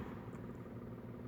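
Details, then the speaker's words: 2021 Tata Nexon XE: steady, even idle rumble that sounds loud for a small SUV, with no distinct knock or tick; owner complains of excessive engine noise, louder when driving, and also noise from the rear; cause not confirmed. "कि आप समझ सकते हैं कैसी आवाज engine की वो तो काफी आवाज़ आती है"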